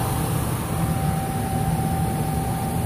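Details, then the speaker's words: Intertherm E1E-015 electric furnace (15 kW) with a no-heat and smoke-alarm complaint, running fan only on its two-speed 1/4 hp blower drawing 1.6–1.7 A: a thin, steady whine over the fan rumble. The probably original blower motor may be near failure. "you can hear a little bit of a whining noise in there something you'll hear on a fan motor that might be getting near it Doom"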